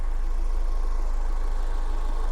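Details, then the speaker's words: 2003 Toyota MR2 Spyder TRD, 5-speed, with a K&N filter: a smooth, steady low idle with an even beat and no knocks, ticks or whine, and the engine sounds great. Normal idle. "Engine sounds great, and it's a very easy car to service and work on."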